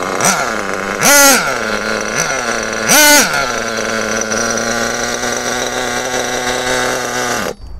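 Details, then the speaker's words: Kyosho-type nitro RC buggy (Bug TT8 RB One) with RB engine, held on the ground for a throttle-response test: two quick revs and the drive bites almost at once before high revs; the clutch should engage slightly later. "Donc ce dernier petit test, c'est pour s'assurer que la reprise est bonne et en même temps, ça permet de contrôler l'embrayage. Donc là, l'embrayage mériterait d'embrayer un tout petit peu plus tard."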